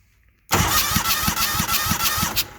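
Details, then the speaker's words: Walker lawnmower engine cranking, one side previously helicoiled: starter pulses about three a second with hissy puff each stroke, air pushed back through intake; owner suspects backfiring out the carburettor, possible internal engine problem. "Yeah, it's definitely pushing air back through there."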